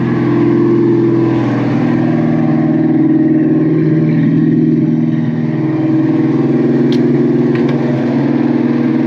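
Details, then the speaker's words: Foxbody V8 idling after refitting the intake pipe; steady, even burble with a slight smooth speed drift, no misses or knocks; idling perfect. "thing's like idling perfect. I'm even gonna crank it down just a little bit more. Unreal."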